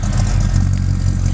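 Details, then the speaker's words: Restored 1978 Chevy K5 Blazer, 350 crate V8 with Holley Sniper fuel injection and a small 270 cam, idling with a deep, mellow, even burble, steady pulses and no knocks or ticks; healthy smooth idle. "a very deep mellow tone with a small camp 270 common"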